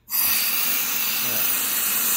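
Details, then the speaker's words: 6.0L Power Stroke (2005-2007) high pressure oil pump on a bench air test, suspect pump not making high pressure oil: steady sharp hiss starts at once and never drops off, air blowing through the pump instead of holding pressure. "so this is our suspect pump where we're just not getting high pressure oil"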